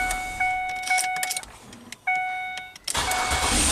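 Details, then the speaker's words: 2006 Ford Freestyle with intermittent no-crank, while test-light probing the ignition switch's dark green wire: warning chime, a few clicks, then brief crank and catch; a wiggled connection let it start normally, fault not reproduced. "Ah, so I think I wiggled something and now the car starts."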